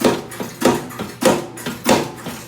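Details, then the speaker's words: Ariens snowblower during a maintenance check: distinct knocks about every 0.6 s as the auger/impeller is grabbed and rocked, showing a completely worn auger bearing. The shear pins are fine. "you can hear it just by grabbing the impeller without having to touch the belt. You can see that bearing is completely worn out."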